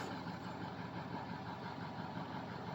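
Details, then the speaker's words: Ford 6.0 diesel started after fixing misfire and hesitation, ~600 psi injection control pressure at crank: settles into an even, steady idle with consistent rattle, no misses; RPM and injection control pressure good. "6.0's back, baby. All right. Everything's looking good. Your RPMs are good."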